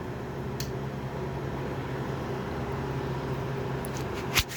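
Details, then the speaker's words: GE (Haier) 5,100 BTU window air conditioner, 2013, R410a, fan on high with compressor off: steady, even blower hum, constant drone, no rattles or scraping, lawnmower outside; fan healthy. "a huge difference when it comes to the fan speeds"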